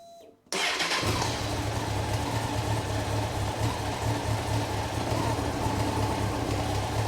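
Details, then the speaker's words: Rebuilt Honda CBR954 Fireblade after six-month rebuild, restarted with tank down: fires at once and settles into a smooth, even idle without stalling; owner thinks earlier stumbling was fuel working through; normal start and idle. "right so far we're not stalling with the tank down I think it was just trying to get all the fuel through yeah that's it sounds sweet as a n"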